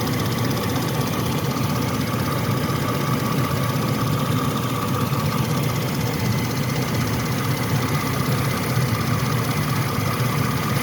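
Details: 1998 Chevy C1500 5.0L V8 at 102,000 miles, steady idle with a light, fast tick from the engine bay; the owner thinks it comes from the rotor area. Engine ticking at idle, source unconfirmed.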